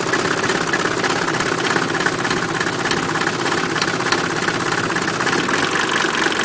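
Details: 1988 Mercedes 190D diesel on waste vegetable oil at steady idle, with a loud harsh metallic clanging repeating about three times a second. It also smokes heavily with diesel fumes in the cabin; owner unsure if normal, cause unidentified.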